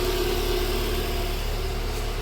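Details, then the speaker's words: Renault Oroch/Duster engine idling after the faulty valve was replaced: steady even idle with a smooth low hum and no ticking; normal sound restored. "Aquí vemos que ya está trabajando bien Y ahí vemos cómo cambia el sonido drásticamente eh a razón de esa válvula que nos salió mala"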